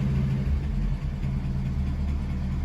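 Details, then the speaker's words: Restored 1950 Packard Eight Touring Sedan, 30,356 miles, 138 hp flathead straight-eight, Ultramatic Drive, just started: low even burble, steady rhythm, no knocks or misses; smooth healthy idle. "let's start it up so you guys can hear how it runs it's quite a smooth car"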